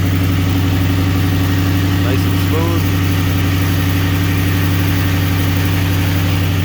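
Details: Ford 4.6L Mustang after tensioner and idler pulley replacement, at idle: smooth, steady hum with no belt chirp, squeal or pulley rattle; the belt drive sounds healthy.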